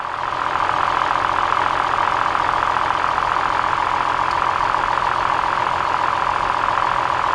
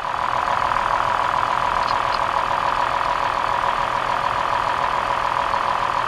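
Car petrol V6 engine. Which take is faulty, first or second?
first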